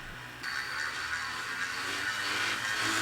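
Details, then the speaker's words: Panasonic DVD RP56 whose tray won't open: spindle motor disconnected from the circuit and run from a bench power supply spins up with a gritty, rough hiss under a thin whine; spindle motor bearings worn. "oh listen to the bearings they're not in good shape that motor is"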